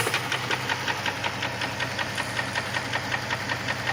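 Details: Jeep 4.0 at idle when hot: a steady light knock of roughly 160 per minute, tapping evenly over the engine; source not pinned down.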